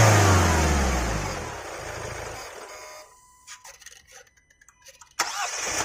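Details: 2022 Kia Carens Prestige diesel, start and rev: pulls up to a firm rev and drops back cleanly with no knock or rattle; healthy, fairly quiet diesel.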